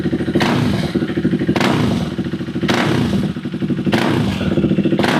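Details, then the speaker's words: KTM Duke 390 V2 single-cylinder idling with throttle blips, picking up cleanly and settling evenly, after sitting unused over a month; stuck fuel pump revived by tapping, now starts on one click and no longer stalls; running fine. "So far so good. Okay pa yung andar ng motor."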